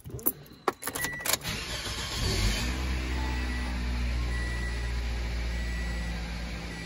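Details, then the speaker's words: 2006 Toyota Corolla 1.8 with just over 200,000 miles, previously misfiring on cylinders 1–4 mostly uphill: after repair and reassembly, a clean start and steady, even idle with no misfires. "all right there is no mesires at all"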